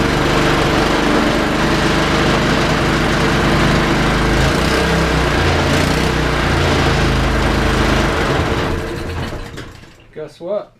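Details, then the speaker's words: Honda water pump small single-cylinder engine after carburetor replacement, started choked: steady even drone with no hunting or surging, holds speed until shut off; carb swap cured the earlier surging and quitting. "That took care of it. That took care of the problem."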